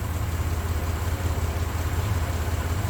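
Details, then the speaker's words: 1993 Chevrolet S10 Blazer after engine install, low on coolant: steady low idle with an even pulse, no tapping or knocking on top; engine runs again and sounds healthy. "But at least she runs again, so that's cool. At least it ain't knocking, right?"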